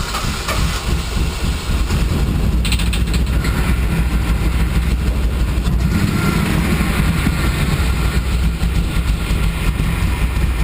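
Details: 6.0 V8 in a Blazer on a restart attempt: runs roughly at idle with heavy, rapid knocking that follows engine speed; metal found in the oil. Spun bearing suspected, not confirmed.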